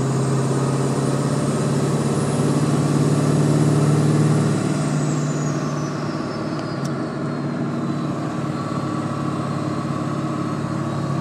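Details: Ford 7.3 diesel at idle: steady low hum, strongest early then easing off, with a faint high whine sliding down; humming noise of unclear source.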